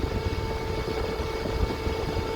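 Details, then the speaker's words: Cool Jag Everflow thick PC case fan at full speed (about 3070 rpm): loud steady whine with heavy rush of air, normal for this powerful high-airflow fan. "That is loud. Now, even if I don't have it pointing at you, you're going to hear that whine. You're going to hear that noise."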